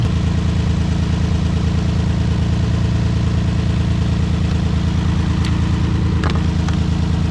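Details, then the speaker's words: Nissan 350Z VQ V6 with P0300 random misfire, at idle: low steady idle with a rhythmic stumble about three times a second; unplugging one coil changes nothing, identifying that ignition coil as bad. "if we remove this one nothing happened it didn't stop it didn't start running any worse it didn't run any better nothing happened so this lets me know that this right here is bad"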